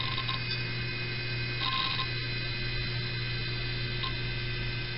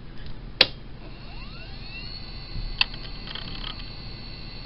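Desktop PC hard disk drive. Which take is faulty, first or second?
first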